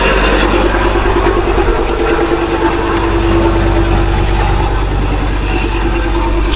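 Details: Ford Ranger Wildtrak 3.2 diesel after replacing the failed turbo gasket, exhaust fully refitted: smooth, even low rumble, no puffing or hissing from the exhaust side, sounds very smooth; normal idle.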